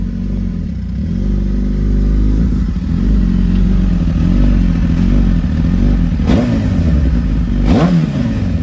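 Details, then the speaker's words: Suzuki GSX-R 1000 made catless, header exhaust leak sealed with JB Weld and a clamp, engine briefly warmed: deep steady exhaust rumble rising smoothly with throttle, no ticking or puffing; repair appears to hold. "ਆਪਾਂ state ਦਾ round ਜਿਹਾ ਮਾਰ ਕੇ ਦੇਖਿਆ ਇੱਥੇ ਤਾਂ ਲੱਗਦਾ ਸੀਗਾ ਵੀ ਕੰਮ okay ਆ।"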